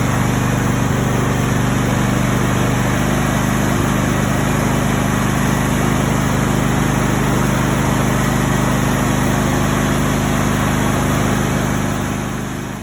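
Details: After replacing a bad solenoid that caused a push-button no-start, car starts and runs smoothly with a steady, even low drone, no misses or knocks.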